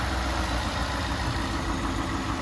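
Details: Ford F150 ute just after fitting an intake upgrade and retightening the throttle body clamps: a smooth, constant idle rumble with a light airy intake rush, no ticking or stumbling. Normal idle.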